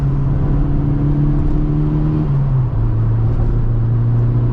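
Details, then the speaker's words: Ford Fiesta RS Turbo after suspension repairs, driven over bumpy country-road dips and bends: steady engine and road rumble, turbo audible, no scraping or rubbing from wheel arches, which previously rubbed; fixed. "that was a big drain drop and it didn't rub so that's good news so it used to rub when I was on my own even going down through some of these Country Roads"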